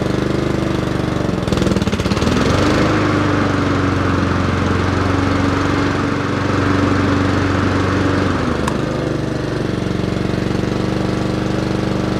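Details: Honda HRR216 auto-choke mower out of winter storage, throttle at fast: catches quickly and settles into a steady, even drone with no stumbling or surging. Healthy running.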